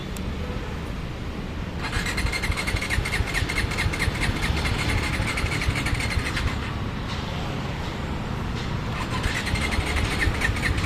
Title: Dominar 400 won't start.